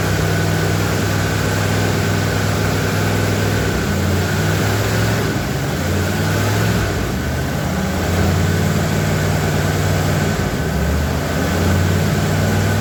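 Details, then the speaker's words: 1977 Ford F250 4x4 barn-find V8 at its first run after a new fuel pump, on an old used 2100 carburetor with the choke working. Steady, even low rumble at idle with no knocks or misses; normal idle, though a new carb is planned. "it sounds pretty good I'm happy with that leave there so now we'll get on Amazon get us a new carburetor"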